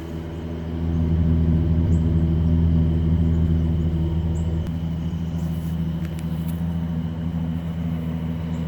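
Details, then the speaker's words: Barn-find 1971 Chevrolet Chevelle straight six, three-speed on the column, heard at the exhaust: low, even burble with a steady pulse and no misses or knocks; healthy normal idle. "okay this is the chevelle 71 i got the hood's popped right now but i wanted to hear it run listen to a run it's a straight six three speed on the column"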